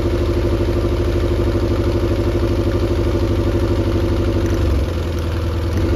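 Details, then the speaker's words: Mercury 90 hp outboard on a Shetland 535 boat, top speed only about 40 km/h after oil change, compression untested: idles steadily, then note drops and roughens as a spark plug is pulled, cylinder drop test for low power. "so I come up with okay why not just start it up pull out the the spark plugs and here's the result"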